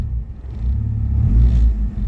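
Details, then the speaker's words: Turbo car warming up after the fan relay was reconnected: a low idle rumble that sags and surges unevenly, dipping below 1,000 rpm as if about to stall. Rough idle near stalling, cause not found. "I don't know what the mic sounds like with my phone but it just seems like it just wants to stall, right?"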